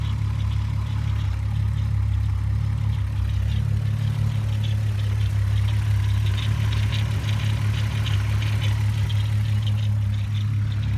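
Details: 2001 VW Golf GTI VR6, spark plugs just replaced: uneven lumpy idle with irregular stumble, cylinder 3 misfire; loses power and sputters under load mostly 25-45 mph; owner suspects coil pack or timing chain tensioner.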